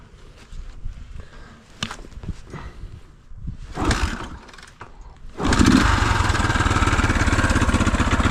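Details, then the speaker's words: 1975 Honda XL250 during a revival, started again after it briefly ran badly and the owner believed he had sorted it out, to test the lights. After some clatter it fires at once into a quick, even putter with no misses or popping: running fine. "So we'll start it up, and we'll show you all the lights working and everything."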